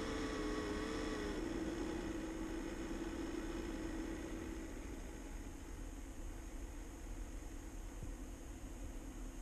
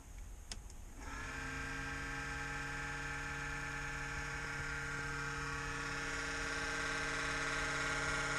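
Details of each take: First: Kodiak trailer exhaust fan: a wavering tone that fades, leaving a steady, even whir. The loud racket lasts about a minute in cold weather (37°F, below about 60–65°F) before normal running; the manufacturer blamed a dusty fan. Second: Kodiak's exhaust fan at a cold start at 37 degrees gives a loud, steady buzzing drone with a fine rattle. It happens at about 60 degrees or colder and goes away after about a minute.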